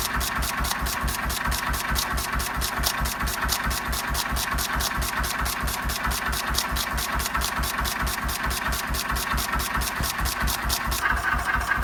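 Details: 1926/7 National 5V petrol-paraffin single-cylinder engine after new piston rings, running on petrol off load with Cox Atmos carburettor nearly shut: slow, steady thump a bit over two beats a second, no knock; running cleanly.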